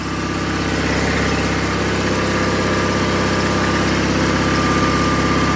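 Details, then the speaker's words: 49-year-old John Deere 318 garden tractor, after engine repair, held at high revs: smooth, even drone, no misses or knocks; now charging, charge light out, about 14.2 volts, running properly. "Rev it up. Now it's charging. The charge lights out."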